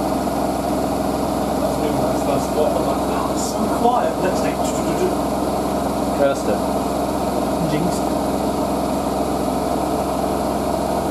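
Even, steady high-speed spin hum with no rattling or banging; the drum is running smoothly and balanced.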